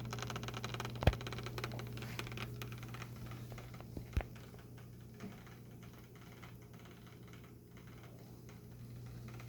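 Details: New HP Pavilion laptop making a steady low hum with a couple of sharp clicks; owner says it seems to come from one side, cause unidentified.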